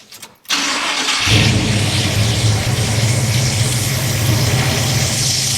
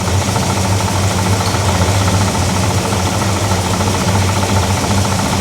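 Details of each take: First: Big-block Chevy in a Pontiac, restarted after removing the belt to test a grinding alternator: cranks, catches and settles into smooth even idle with the grinding gone, pointing to the alternator, which is then replaced. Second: Big-block Chevy V8 in a Pontiac, new alternator just fitted: steady metallic rattle over a lumpy idle, present only with the accessory belt on, absent with belt off; water pump or fan suspected, accessory drive rattle.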